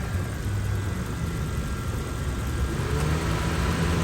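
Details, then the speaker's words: Car at idle with AC running, about 39 degrees from dash vents: steady idle rumble, compressor kicks in with faint extra hum, fans come on and idle lifts slightly to compensate for load; normal cycling. "you can hear the compressor kicking in and out and you can hear the fans come on and you can hear the engine idle speed kick up a little bit because it's trying to compensate for the load of the compressor"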